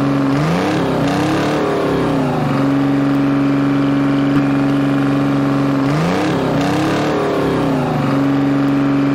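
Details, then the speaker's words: Three-cylinder Detroit Diesel in an old dragline crane abandoned 20+ years, after water was drained from the fuel filter: a steady drone between brief rev-ups with no misses or knocks, firing on all three cylinders. "uh to me it sounds good i don't know oh yeah it doesn't sound bad at all it's hitting on all three"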